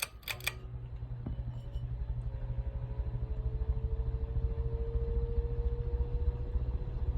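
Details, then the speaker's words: Heritage Riviera ceiling fan on high: low motor hum with a faint tone climbing steadily in pitch as the fan spins up, a very rapid startup sound; normal high-speed startup. "medium now on high you're going to notice a very crazy rapid startup sound it sounds like it's literally fixing to take off for Mars or something"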